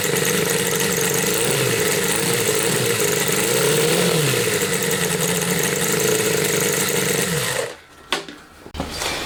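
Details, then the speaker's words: Homemade four-cylinder CD125four engine (Honda Monkey converted, ver1.1) on bench with smaller carb, untuned: fires up, busy slightly uneven beat with short blips, then shut off; starts easily, improved over first carb; normal running. "はい、再燃差はつけてないのであんまりバンバン回すわけにもいかない、かけ続けるわけにもいかないですけど、とりあえずは問題なく始動しますね。やっぱ流速が上がったおかげで最初のキャブより始動性は良くなってますね。"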